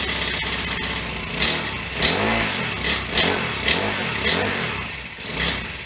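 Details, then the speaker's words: Honda FG100 four-stroke mini tiller, just reassembled after repair (it previously had no valve), started on choke: the engine surges in uneven waves about twice a second and sags between them, and won't idle by itself. "doesn't want to idle by itself let me turn the idle up a little bit see if that helps"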